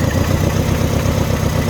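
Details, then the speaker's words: Mini Cooper idling rough after cylinder head refit: loping beat with a regularly missing exhaust pulse, one cylinder dead. Suspect cylinder one; could be injector, coil, spark plug or cylinder, so injector one swapped to four to test. "right i think we've got a misfire first thing to do is quick test"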